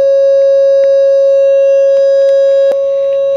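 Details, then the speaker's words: Realtone Globepacer 11-band transistor radio audio stage with the bias turned down: a test tone with a harsh, buzzy edge. Crossover distortion from low bias. "hear the distortion there and the distortion the bias seems like it wants to be varied"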